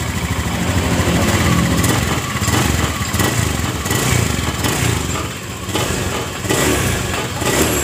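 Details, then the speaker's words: Honda Beat FI eSP scooter after crankshaft bearing replacement (piston and block unchanged), which had cured a rough engine noise: engine idles steady and smooth with no knocking or rattle from the bottom end; normal idle. "aman sekali mas bro halus banget Mas Bro ya"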